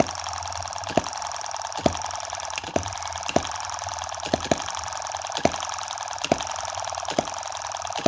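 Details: Tiny Chinese M17 4-stroke gas hit-and-miss model engine, play reduced with superglue and oil in the hopper instead of water: sharp single firing pops under a second apart over soft even clicking, a slow steady cycle so heat isn't a worry. Normal running.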